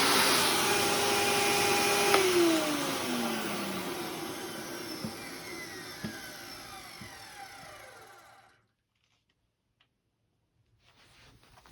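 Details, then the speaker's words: Eureka vacuum with Express hose and cracked handle, switched off after a brief run: motor winds down with falling pitch, dull thunks roughly once a second as it slows; thunk source unknown, otherwise seems to work. "I don't know what that, like, thunking sound is when I turn it off, but it seems to work fine, as far as I'm aware, so."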